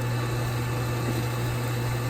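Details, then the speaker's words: Infinity Spas hot tub pump number two after motor bearing rebuild and wet end replacement, running installed: smooth steady low hum with no grinding or rattle, pumping normally, successful rebuild. "sounds so much better they're pumping so it looks like we have ourselves a successful rebuild of that pump"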